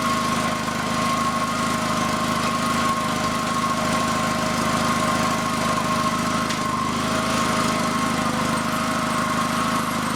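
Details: FF/18 vehicle's replacement two-cylinder liquid-cooled Honda engine from a tractor, first shakedown run after install: steady, even drone with no misses or knocks. Passed the shakedown run; normal.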